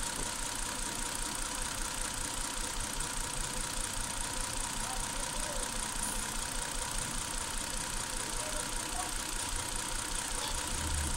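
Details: 2008 Hyundai Santa Fe at warm idle: recurring uneven stumble in the exhaust beat, two or three a second; ignition misfire diagnosed with oscilloscope, coil 5 found damaged.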